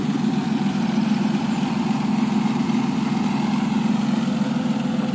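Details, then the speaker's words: 2002 TVR T350C, rebuilt with the 4.3L engine upgrade, idles warm with the engine heard from the front. Smooth, even low idle with a steady quick pulse and no top-end tapping; a normal idle. "not very tappy very smooth on a different road now"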